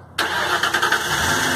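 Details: Car with Cardot 1100 BN keyless alarm and push-button start, remote-started by holding the remote button a couple seconds: brief crank, engine catches at once and settles into a steady idle; normal start.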